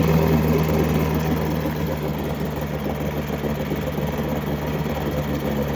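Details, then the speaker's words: Mercury 7.5 hp long shaft two-stroke outboard, first start after 25-30 years unused, primed: even buzzy beat at steady idle, about four pulses a second, no knocks or stumbles; runs normally, impeller due for replacement. "it's pretty hard to argue with that first like 15 seconds of run time in 20 25 years"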